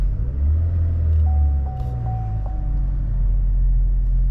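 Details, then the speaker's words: 2011 Saab 9-5 Turbo petrol, 104,592 miles, just after start-up at idle: low, quiet, even rumble with no ticks or rattles, very smooth; healthy engine. "Well, at least we'll go ahead and start it up here. Sounds great. Very, very smooth, very, very quiet."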